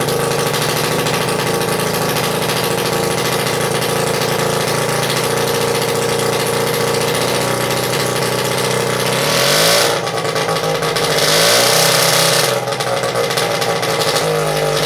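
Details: 1941 Champion S1G 3 hp outboard, first start after sitting many years, after cleaning and setting the points and checking the condenser: a fast, even two-stroke buzz that picks up cleanly with throttle. Normal running.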